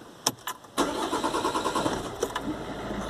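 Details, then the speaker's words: 2010 Volvo V50 1.6 diesel (Ford DLD-416), first restart after the Bosch suction control valve on the high-pressure pump was removed, un-stuck and refitted for fault P0089. Quick crank clicks, then it catches and settles to an even idle, slightly slow to start. Normal start. "obviously just turns over for a fraction of a second longer than it should and there we have it the pressure control valve removed and refitted"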